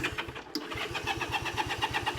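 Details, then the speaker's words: Honda CA78 305 Dream, unridden since 2010, choke and fuel on, throttle stuck: starter churns in even pulses with no firing. Spark is confirmed but there is no fuel to it. "yep nothing yet we know we have spark I don't have fuel to it let's make sure fuel's getting through"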